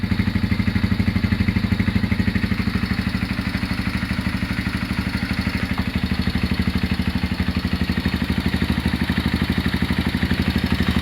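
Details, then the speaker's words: Honda GL Max Neotech motorcycle engine idling before teardown for restoration: steady low thump with light mechanical clatter, the complained noise located in the top end/cylinder head and around the clutch. "Untuk kendalanya si mesin itu berisik dan berisiknya suaranya ada di bagian atas atau bagian blok head dan sekitaran bagian kopling ya."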